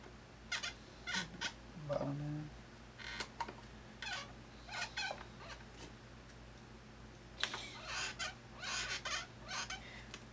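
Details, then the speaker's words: Thrustmaster rudder pedals: short dry plastic-on-plastic squeaks, a few per second, with each press; the pedal arm moves sideways and rubs its housing, and pushing it away stops the noise. "the pedal can move a certain amount left and right and where intersects with this and this my gets rubbed up next - it seems like noise yeah push it away gets rid of it"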